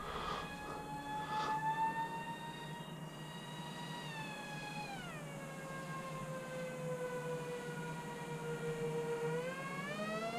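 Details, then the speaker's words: Flite Test Master Series A-10 twin electric RC jet in flight: motor whine sliding down then up with throttle, slightly uneven, one motor seeming to lag; pilot suspects slipping prop or loose prop nut, unconfirmed. "might just be a prop slipping because it sounds like one slightly different pitch than the other maybe a prop nuts coming loose maybe i should land it maybe i'm flying on one prop"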